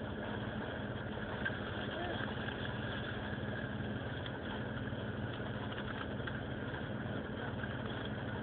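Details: Vectra GSi 2.5 V6 at idle: low, slightly uneven beat with faint wavering; rough idle, no cause identified.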